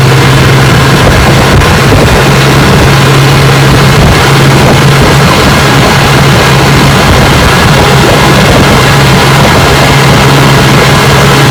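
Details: Rebuilt 1959 Evinrude 18 hp fast twin two-stroke outboard on a windy bayou, warm after about 15 minutes of running; the cooling problem looks fixed. Loud, even drone holds steady with no misfire or surging. Normal running.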